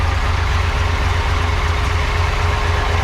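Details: Supercharged 1976 Corvette C3, unused for years, idling outside after an easy first start. Steady thump of about four per second with a faint constant whine: a noisy supercharger. Little boost is showing, and a buzzing noise is present.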